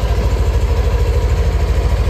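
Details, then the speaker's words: Yamaha NMAX Neo (third-generation) scooter at 6,300 km, warming up 3–5 minutes before an oil change with the oil trip at 1,800 km: even, smooth low idle with soft steady pulse, no knocking or rattling; normal idle. "saya biasanya panaskan motor dulu kurang lebih 3 menit atau 5 menit ya, bertujuan agar olinya agak panas."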